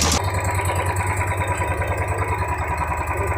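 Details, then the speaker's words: New Royal Enfield 350 BS6 single-cylinder after fresh engine oil was added, checked for tappet tik-tik noise: even thump at idle with no tappet ticking, sound described as relaxed and smooth; normal idle. "[संगीत] आपको scenery में इसलिए सुना रहे दोस्तों का sound राहत है बहुत भाई लोग बोलते हैं की यहां पे एकदम आराम से साउंड है"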